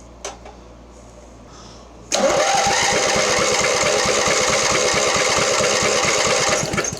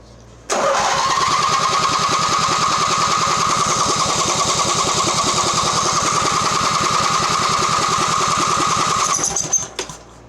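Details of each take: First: Mastercraft (MTD) 46" riding mower, 1990 Briggs twin, long unused, cranked testing second cylinder compression: even two-plus beats a second for four seconds; healthy, 115 psi versus 120 on the other side. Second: Mastercraft (MTD) riding mower Briggs engine, premix poured down carburetor, no exhaust fitted: steady cranking about three and a half beats a second for eight seconds, never catching; no start, spark tester shows weak intermittent spark.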